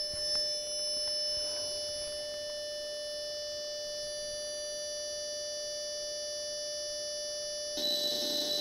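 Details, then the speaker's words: Atari XC12 cassette data recorder after repair, saving a program from an Atari 65XE: steady high-pitched data tones hold evenly over the running tape, then shift to a busier warble. The recorder saves properly, though the Atari later failed to load the tape. "so now we do play and record and press ENTER and I've got the counter at 0 so we care that it's making the noises and the tape is going"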